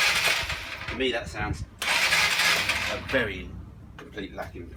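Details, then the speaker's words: Honda CBF 125 motorcycle bought as a project with suspected worn piston rings: the starter spins the engine over fast and evenly with no compression chuffs. Owner says there is no compression; cause not confirmed. "lack in compression at all, with no compression at all. It's just spinning over so quickly."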